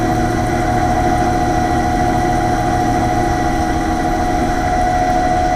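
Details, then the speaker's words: AAON 5-ton rooftop HVAC unit, fan motor panel removed: loud steady drone with strong hum and uneven rumble, fan wobbling badly; worn fan motor bearing suspected, not confirmed. "that that is awful nothing's wobbling like crazy"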